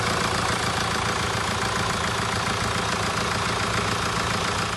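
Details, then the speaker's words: 2017 Mercedes E-Class with OM654 diesel, idling after timing chain replacement and engine reinstallation (chain had been loud on cold starts and audible warm): steady, smooth even clatter, no rattles or knocks; sounds fine, runs nice. "Okay, so we've started the engine, sounds fine, runs nice."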